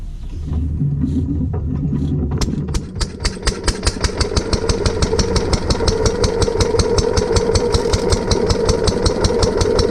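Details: Lister D petrol barn-find engine on trolley with air compressor, after remounting, fixing fuel leak and new spark plug: a few pulls, then catches into an even, steady single-cylinder putter at about two and a half beats a second; healthy.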